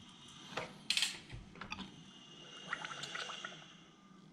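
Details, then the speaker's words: BMW N52B25 engine from eBay, broken head stud found, turned over slowly by hand during teardown: faint wet gurgling between quiet clicks, suggesting possible liquid in cylinder 3, which later looked oily, a little rich. "So I was turning the motor over by hand, and it does sound like sounds like there may be liquid in one of them. That's cylinder 3."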